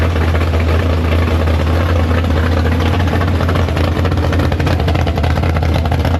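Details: Big block Chevy V8 in the Farm Fresh gasser, first start after sitting, 750 carb, downjetted; deep, steady low rumble at idle, even and unbroken, up to temperature, no leaks. Healthy normal idle.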